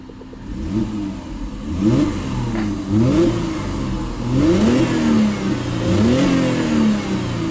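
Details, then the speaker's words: Salvage-yard Mercedes revved up and down: raspy whirring hiss over the engine from a secondary air pump behind the headlight that has a hole in it; not a knock. "you hear that noise there's an air pump it's like right up behind the headlight there and it got a hole in it so it's not a knock"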